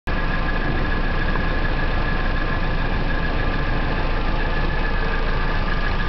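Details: Nissan 240SX with KA24DE engine at idle: light, quick ticking at about three beats a second that carries through parts of the exhaust; owner suspects a sticky valve lifter, cause unconfirmed.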